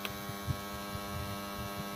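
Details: Old TD-500 single-station welding transformer, unloaded after winter storage: constant deep mains hum, louder than normal, with high no-load current and corner brackets heating past 100 °C; points to shorted turns in the primary coil.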